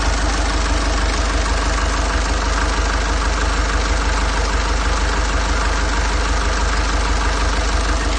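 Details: Nissan Urvan Estate ZD30 E25 diesel after replacing the knocking engine block assembly: steady diesel clatter at idle, about three even beats a second, no heavy knock; normal idle.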